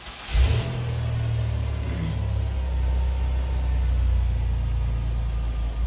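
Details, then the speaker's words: Van cranking with the meter on the battery: 12.9 V surface charge before, dropping to 11.2 V lowest while cranking; then a brief strong crank, instant fire and a deep steady idle, with the alternator back at 14.5 V. A normal start. "i'm just gonna crank it over and see where we drop to while we try and start"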